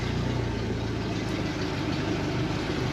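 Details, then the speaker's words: 2017 Suzuki DF115 four-stroke outboard after full service fixing stalling and rough idle: steady even low idle rumble, no knocks or misses, smooth and healthy; plenty of power in gear. "So we're pee good, riding nice and smooth. Kicked into gear, plenty of power."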